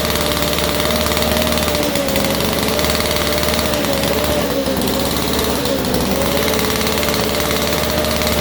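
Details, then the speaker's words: 1947 Chicago-made two-stroke Mall 6 ft chainsaw, barn find unrun for over 40 years, first start on a cold day; loud, fast two-stroke buzz, fairly steady pitch with slight wavering, firing evenly; running and idling normally. "so yeah anyway so we got a running machine at idles now too so that's cool"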